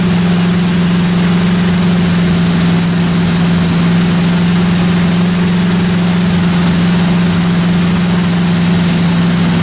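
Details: 1957 Chevy 210 project, new cam break-in run about 20 minutes: deep even idle drone holding steady, no top-end ticking or knocking; normal idle.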